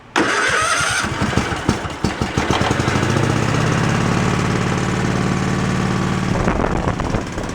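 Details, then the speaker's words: Craftsman riding tractor engine started with mechanical choke at full throttle: brief crank, then it catches and settles into an even idle with no knocks or misses. It runs decently, though the fuel line is bad and needs replacing. "anyway but the motor runs good it seems like it's decent"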